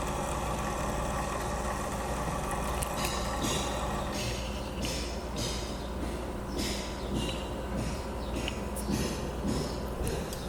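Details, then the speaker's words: PC case fan with worn bearing, secured and nothing hitting the blades: low steady hum with uneven rattly ticking, not vibration but a bearing fault. "não é problema de vibração o barulho permanece então e sim ao rolamento"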